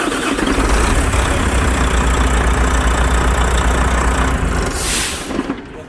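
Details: Volvo FH13 truck diesel, brought in for knocking and grinding in the valve cover, at idle after valve adjustment: a steady, even idle with a regular low beat and no metallic clatter. Valve train quiet and healthy.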